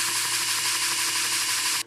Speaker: I think this disc is a little warped so it's even noisier than normal